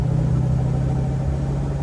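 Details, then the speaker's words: Mustang project car with new mufflers, cruising on the road: steady low whine over the exhaust drone on the gas, quieter off the gas; rear differential whine suspected, not confirmed. "I can hear the rear end whining again a lot better. See, I let out the gas and it's quieter."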